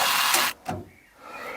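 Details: 1988 VW T25/T3 Caravelle GL central locking repaired with VW T4 actuators, motor pinned in and worked up and down: short buzzy whir then sharp clack, quick locking cycle with no grinding or stalling; actuators working normally.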